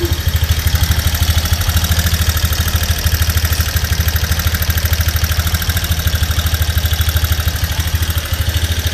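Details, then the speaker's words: Honda Mega Pro single-cylinder engine idling very noisily: loud busy clatter from the cylinder head top end; suspected camshaft and rocker arms (typical GL-series fault), checked on teardown. "oke teman-teman kali ini ada Megapro ya ini Megapro di bagian mesin ini sangat berisik sekali mesinnya"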